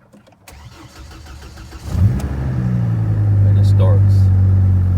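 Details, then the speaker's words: 2004 GMC Canyon crank-no-start (no fuel, no spark, anti-theft light issue) fixed by replacing the ignition switch; starter cranks steadily about two seconds, then engine catches cleanly into an even, smooth idle. "Had to change out the ignition switch. I had no fuel and no spark. There it goes."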